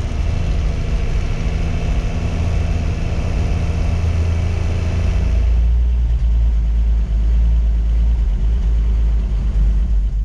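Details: 1958 Ford F100 panel truck six-cylinder after cleaning plugs and replacing ignition points, choke being adjusted: steady deep idle on all six with slight unevenness, revs settling; owner suspects leftover bad fuel in the system.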